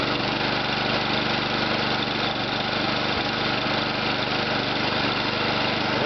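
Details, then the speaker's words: Briggs and Stratton ReadyStart single-cylinder engine with new muffler, after cold start at about 28°F: steady putter at idle with no stumbles or knocks; runs smooth. "you have it smooth and Flawless rich and Strat for you check out the brand new muffler"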